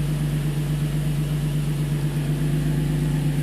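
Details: 2005 Infiniti G35, VQ35DE Rev-Up, 6-speed manual: after coil pack replacement for a P0300 random misfire, a smooth, deep, steady idle with an even low hum and no stumble or miss. Air-fuel ratio reads about 14.6, so it sounds healthy.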